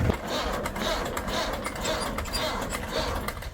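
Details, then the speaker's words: Tractor diesel after sitting unused for 20 days, started on the self-starter: chugging with a rough rasping grind each time a gear is tried. A stuck clutch plate stops the gears from engaging. "Self लगाने के बाद मैं जैसे गेर डाल रहा हूं ये घर घर की आवाज आ रही है ये ऐसी आवाज आ रही"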